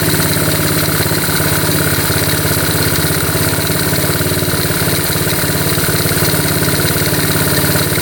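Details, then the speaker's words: 1972 Honda CT70 after points adjustment, idle turned down: even, steady low putter at settled idle with no misses or ticking; normal idle. "Oh, we're right there. We are perfect. Turn the idle down a little bit. That's right where we want to be here."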